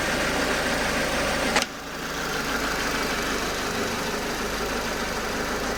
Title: tujp4 nfu bruit moteur rare?